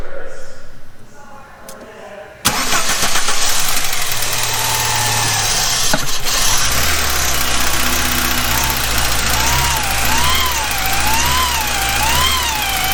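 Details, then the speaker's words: Abandoned Mk3 VW with 2.0L ABA engine and 5-speed manual, cranking during spark test: starter churns, engine catches with rising uneven beat, struggles and hunts; stalls after starting, fuel/spark cutoff suspected, scan tool found nothing. "so we're going to do a basic spark test on this thing uh when I crank it see if it's still getting spark after it dies"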